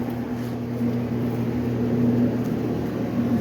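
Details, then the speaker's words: Clothes dryer test run on setting 70 after a repair: low, even hum of the drum turning at constant speed with no scraping or thumping. Noise gone, normal rotation. "no more noise so now we can go ahead and close this"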